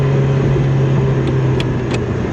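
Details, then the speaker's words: Ferrari 308 driven after 15 years off the road: clean even pull above 2,000–2,500 rpm with no misfire or stumble; runs nicely in the mid-range, though it misses and cuts out low down. "But once we're in after 2,000, 2,500, it's nice."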